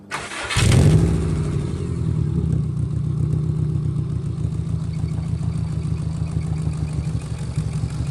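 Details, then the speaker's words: Subaru WRX engine starting before the exhaust repair; catches and settles into a low, rough puffing putter at about four per second; owner attributes it to an exhaust leak. "You can tell by the noise that the noise is literally coming from there. Another example of why I think my exhaust is really messed up right now is because look at this. I'm barely in third gear and look how loud this thing sounds."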